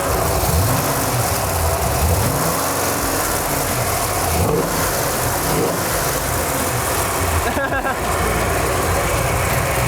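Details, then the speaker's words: Nissan 240SX with 6.0 LS V8 swap and Holley Terminator X, first start, warm around 195, revved to about 3500 rpm: strong even roar without misses; running very well. "All right, so it's running crazy good. Like better than I ever could have hoped."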